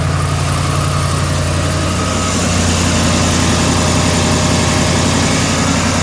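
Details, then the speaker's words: 2012 Ford F350, 6.2L gas, code P06B6 knock sensor 1 performance, started after repair with the intake reinstalled and codes cleared: a smooth, even idle with a steady low hum and no clicking or ticking. Normal idle. "so far so good no clicking truck is running beautifully so far no issues no noises anything weird like that"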